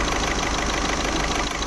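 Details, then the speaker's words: Skoda Rapid diesel at idle with glow plug light blinking: rough, uneven, lumpy beat with knocking clatter, a full misfire; code P0204 (cylinder 4 injector) points to a faulty injector, confirmed by scan. "और engine पूरा miss फर र है मैं आपको दिखाता हूं आगे से engine start है हमारा और यहां पे इंजन पूरा मिसिंग हो रहा है"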